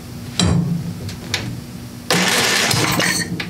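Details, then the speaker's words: Craftsman 27-inch snow blower, Briggs & Stratton 8 hp OHV engine, previously dead and with debris in the cylinder: two short firing bursts about two seconds apart that die away each time, fires briefly then stalls. "well went off yes it just keeps doing that i think something just about happened"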